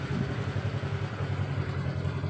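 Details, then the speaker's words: Honda Vario automatic scooter, previously stuttering with power loss at low rpm; after the fix on a test ride the small engine pulses steadily and evenly, picks up cleanly with no stumble or hesitation: normal running. "Ini responsif. Tidak ada penundaan, tidak ada gagap, hanya respons langsung. Rasanya luar biasa."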